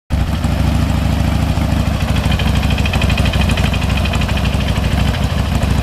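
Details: 2005 Harley-Davidson FXDL V-twin, from startup: uneven light intermittent rattle over lumpy idle; teardown found front camshaft inner bearing side worn and stepped, worn camshaft bearing rattle.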